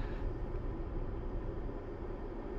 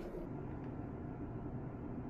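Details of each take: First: RV rooftop air conditioner (bedroom unit) after sound-deadening mat added, about 45 dB measured: steady low rush of air with deep hum, less rattling and lower tone; remaining noise mostly fan airflow. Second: RV bedroom rooftop air conditioner on high after sound-deadening work: soft, even hum of fan and compressor with no rattle, measuring 36–37 dB, almost 10 dB quieter than before.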